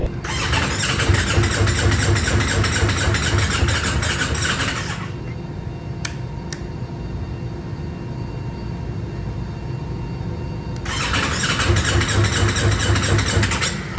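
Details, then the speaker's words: Ducati Multistrada V4S that stalled and ran jumpy before: two bursts of steady starter cranking about two turns a second, quiet hum between, never fires; crank no-start. "now that's not the sound that you want to hear of course"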